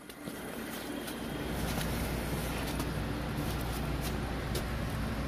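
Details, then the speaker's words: 6-ton Trane packaged heating unit, inducer reassembled during maintenance: constant low motor drone with a rough, uneven rattle; inducer motor failing and needing replacement, though ignition still works. "I'm sure you can hear that it still sounds like garbage but at least we'll be able to see if everything else fires up"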